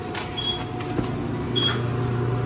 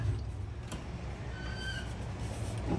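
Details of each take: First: Frigidaire FEX831FS4 stacked dryer, drum running: low steady rumble and faint constant mid-pitch whine/squeal from a worn rear drum bearing needing a rebuild. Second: Frigidaire FEX831FS4 stack washer after removing a sock from the drain pump and replacing the dryer rear bearing: even running rumble, no squeak or rattle, draining, then a loud steady buzzer; normal.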